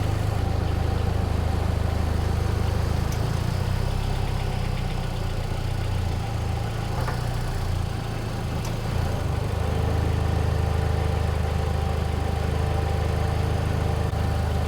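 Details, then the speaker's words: 1993 Ford 2.3L Lima on first start, cold, in a freezing garage: once put in gear the idle drops from 950 to 700–780 rpm and becomes a heavier, shaky, vibrating drone without stalling; rough idle in gear, cause unknown, code scan planned. "Oh, and it also falls on its face when you put it in gear. Watch. See how it starts vibrating and it falls down to 700. 780."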